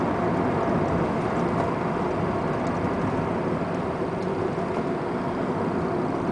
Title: 1994 Honda Accord EX VTEC 2.2L 4cyl Engine Knock 2